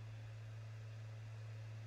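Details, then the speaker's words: PS5 installing a game from disc, after reseating a loose side panel that caused rattling: only a steady low hum of the disc spinning in the Blu-ray drive, no rattle; normal. "no more noise no more rattling sound only the smooth sound of disc spinning inside the blu-ray drive"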